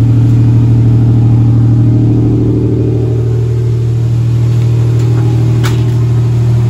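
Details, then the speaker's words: 1986–1987 Buick Grand National/T-type turbo with LS1 MAF just installed and connected; steady deep drone held well above normal idle, never dropping back. Still high idle after the install, cause not yet found. "see if this sounds accelerated still [Music] yes it is man that sucks"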